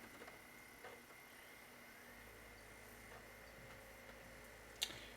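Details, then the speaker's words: Xbox 360 DVD drive after repair of laser hitting the disc (grinding fixed), tested with cover off: quiet, even whir as disc spins up, only faint clicks, no grinding; works fine. "There we go. Very smooth. make some sound because the cover is not on. But here we go. Works fine."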